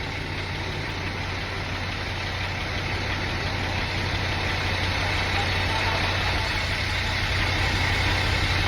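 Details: Steady idle with a low drone and a faint repeating beat about three per second; abnormal engine noise, cause suspected but not confirmed.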